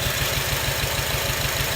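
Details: 2006 Acura TSX petrol engine idling roughly with a heavy, lumpy low thump and shaking from a misfiring cylinder; ignition coil or spark plug suspected, coils to be unplugged one at a time to find the bad one.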